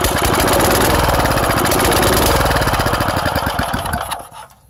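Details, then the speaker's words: Engine run with its muffler removed: loud raw crackling bark with rapid even firing pulses, harsh and open, then the engine winds down. "This is just a little bonus ending. I've got to run this thing without a muffler. I need to hear it."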